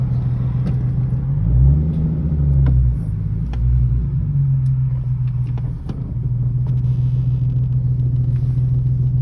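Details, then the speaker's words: Nissan 370Z at idle: low rumble with faint, irregular clunks and rattles. Pressing the clutch affected the sound inconsistently, so the owner now thinks it is clutch-related. A lost aux dongle rattling inside was considered but doubted; cause unknown. "i have one possible explanation i lost my aux cord dongle i had this thing open a lot the only thing i could think of is it fell in there and it's rattling but i highly doubt that"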